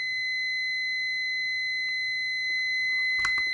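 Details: Multimeter continuity beep-test for automotive blade fuses, test leads reading 4.2 ohms: one steady high tone lasts over three seconds. It still beeps below this meter's roughly 50-ohm threshold (9 volts), so a beeping fuse is only under 50 ohms.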